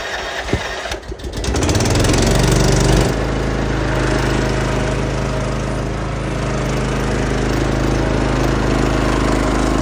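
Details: Troy-Bilt Mustang zero-turn mower with 88 hours that stopped and wouldn't restart, run after replacing a bad fuse: starter cranks briefly, engine catches and settles into an even steady drone without stumbles; normal start and idle.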